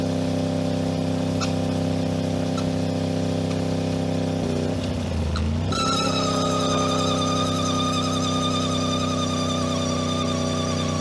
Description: Aprilia RS 660 2021 - 5500km, strange noise on deceleration when I'm hitting 80-90km/h in 4/5/6 gear. Disapear when I'm hitting the throttle.